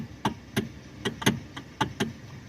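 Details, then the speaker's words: Kia steering column giving sharp irregular clunks as the wheel is rocked, wheel shaking at about 70 on highway; broken rubber coupler bushing between electric power steering motor and column. "these cars have electronic power steering and there's this rubber bushing on it and uh between the motor and the steering column and uh it goes bad it breaks and uh this is what you end up with"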